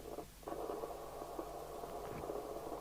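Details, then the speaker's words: 1981 Rotel RVC230 UK FM CB radio (Cybernet 134 chassis), low power: thin band-limited audio with irregular crackles and pops, caused by five faulty electrolytic capacitors in the audio amplifier stage. "want this intermittent crackling is it doesn't sound good"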